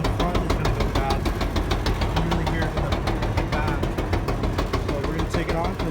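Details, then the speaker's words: LG gas dryer, model DLG2526, running. Steady rhythmic knocking about three beats a second with each drum turn; drum itself looks good. Worn drum support wheel. "sounds terrible check the drop see if it's all good in here the drum looks good so it's gonna be one of the little wheels"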